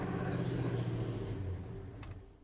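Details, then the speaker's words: 1971 Plymouth Satellite V8 at start-up: deep rumble with a raspy, puffing edge that fades as it settles; exhaust leak found at the back of the right side header, collector gasket still to be checked. "Found it. Yeah, it's coming from the back of the right side header."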